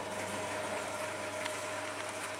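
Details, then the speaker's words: Tumble dryer in test mode on start and low heat, broken program dial, codes E18/C08 shown: quiet even mid-pitched motor hum with no knocks or scraping; motor works normally. "that motor works"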